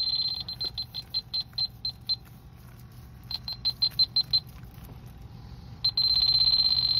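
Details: Hayward Heat Pro pool heat pump with LP (low pressure) error: electronic leak detector beeps speed into a steady alarm at the filter dryer, where oil residue shows; refrigerant leak found, then repaired.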